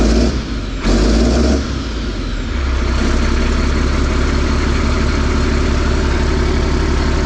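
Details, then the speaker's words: Diesel on a hay squeeze, very loud, catches after a long crank, then settles into a steady, even low idle rumble at 60 psi oil pressure; pedal code 551 just cleared, and ECM power suspected of dropping during cranking. It runs. "Okay, she's a runner."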